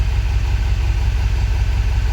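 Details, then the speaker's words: 2000 Ford F-350 7.3 Powerstroke diesel, 567,000 km, hard cold start complaint, cold idle: deep, lumpy, uneven throb with stumbling beats; rough running, injectors suspected gummed up. "yeah but definitely it sounds like it's running a little bit on the Rough Side eh so I'm thinking that those uh those UV injectors are a little bit bunged up"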